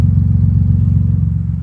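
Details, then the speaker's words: Infiniti G35 after new exhaust install, warming up: loud, deep, uneven idle rumble escaping unmuffled from the Y-pipe hanging open, not from the single outlet; exhaust leak. "wide pipe is like hanging open and that's where most of the sound is actually coming from right now most sound is it's like coming out to that side on the wide pipe"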